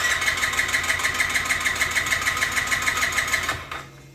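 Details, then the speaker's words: 2007 Yamaha C3 50cc (XF50W) scooter, fuel tank and pump replaced after ethanol and storage damage, fresh plug: starter churns evenly at about three beats a second but never catches; cranks but won't start, owner suspects the fuel line is clogged again. "So what happens when I fire it up here, it just goes cranky, cranky, cranky, and never starts. So she's gotten clogged up yet again."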